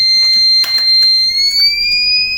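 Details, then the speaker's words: Microtek Super Power 912 12V inverter works on battery but on mains cuts output and sounds a steady, unbroken high-pitched buzzer; about 6 V stays on the change-over relay coil instead of zero. "जिसका fault है कि यह battery mode पर बिल्कुल सही काम कर रहा है और जैसे ही मेन सप्लाई से कनेक्ट करते हैं तो यह आउटपुट भी बंद कर देता है और बजर बजने लग जाता है"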